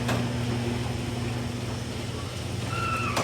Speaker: You can hear the squeakiness of the wheels. And that's really what I'm addressing.